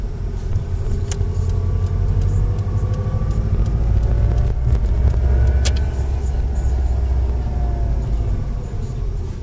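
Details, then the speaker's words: Subaru Impreza WRX 5-speed before bearing replacement: faint whine under heavy road roar that speeds up with the car and doesn't change with gear changes, audible in every gear; worn center differential bearings. "you'll know it's Cent diff because the noise speeds up with the car doesn't change in gear changes"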